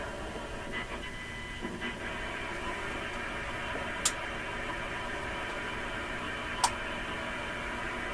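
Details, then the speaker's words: Restored RCA Victor 94BT1 tube radio during final alignment on the bench: constant hiss with faint steady whistles and two sharp clicks; interference from nearby routers and the owner's computer. "I have routers and things like that just right around the area here so that's where most of this noise is coming from but for sure my own computer in here is generating a large amount of noise"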